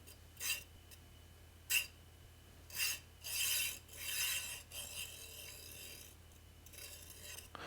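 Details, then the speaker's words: Stock linear bearing on a JGAurora A5S 3D printer, moved by hand: short bursts of dry, gritty rasping and sticking, a poor-quality bearing that makes the printer noisy compared with a smooth generic bearing. "you can hear this absolutely horrible so if you wonder why your print is noisy because they've used terrible quality bearings this is just not good enough"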